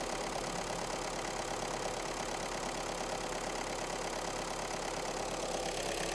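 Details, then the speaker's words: Scrapped VW Golf after repair: steady, even idle with light regular patter, no knocks or misses; much less engine shaking than before, fault seems fixed despite engine management light still on. "as you can see there a lot less uh shaking now she sounds a lot better lot better so it sounds like that's fixed"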